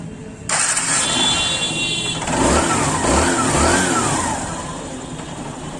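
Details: TVS Star City/Sport motorcycle brought in for a noisy self-start motor: brief crank, then the engine catches and revs with no grinding or rattle; starter engages cleanly.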